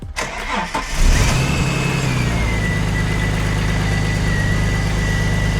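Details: Manual BA Mk2 Ford Falcon XR6 Turbo on its first start right after an oil and filter service, before a 1,700 km drive home. The starter cranks briefly, then the engine catches, flares and settles into a steady, even idle with a smooth low hum. Normal, quiet "like a kitten".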